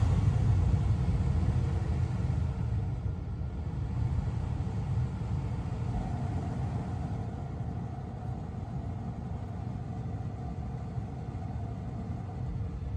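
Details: 2022 Tesla Model 3 rear-wheel drive with heat pump, very warm day, defrost on, heard from outside: low, even rumble and whir holding steady with no knocks or rattles; heat pump running normally.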